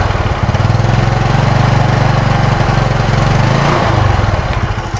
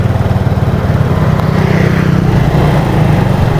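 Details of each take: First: Yamaha Mio Sporty fitted with genuine Yamaha 5TL CDI replacing the faulty non-original unit: smooth even beat around four per second at half throttle, winding down cleanly; normal running. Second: Yamaha Mio Sporty scooter on road test while closing the throttle: ragged, uneven putter that stumbles and nearly dies, coughing at the carburetor; torn carb diaphragm and a blocked air passage found.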